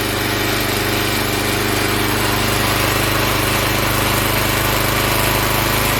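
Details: Log splitter Briggs & Stratton engine 126T02 after repair: carburetor cleaned, speed set to about 3100 rpm spec, valve underneath two turns out from seated. A steady, even governed buzz without surging or stumbling; running much better.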